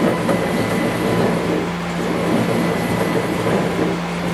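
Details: CNC mini-mill, 1-inch jog with gibs fully loosened: motor hum under a rough, gritty rumble throughout; the axis is binding, later traced to the ball screw end nut.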